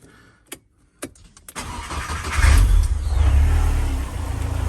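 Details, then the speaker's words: Ford Sierra Cosworth 2WD on its second start-up, coolant added and warmed up: a few cranking clicks, then it catches, revs and settles to an even idle; oil has got round and the hydraulic lifters have pumped up, so there's no tapping anymore. "because it's now the oil's got round the hydraulics have jacked up it's not tapping anymore it's real sweet"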